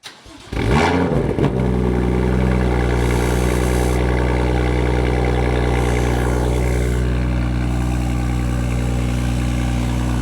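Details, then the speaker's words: BMW M2 with N55 engine and M Performance exhaust starts cold, flares and settles to a fast cold idle with a light metallic buzz: the tips rattling on cold start, fixed by wrapping the pipes in aluminium foil tape under the tips. "Today we're going to be fixing the annoying M Sport exhaust rattle that you always hear upon cold starts."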